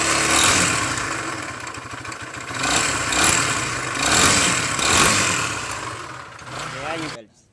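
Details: Barako single-cylinder motorcycle engine clatters loudly with a hard knock that swells with each throttle blip; connecting rod bearing knock.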